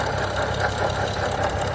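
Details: 2011 BMW 335i turbo petrol engine at idle: rapid, rhythmic tapping at a steady pitch. The engine reportedly runs hot, though the temperature gauge doesn't climb much. Cause unknown.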